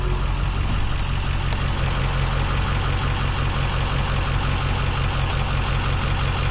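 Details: 2002 Ford F250 diesel at idle, switchable high idle and lower 'stealth mode' idle: even low diesel clatter at steady speed with no misses or stumbles; normal idle.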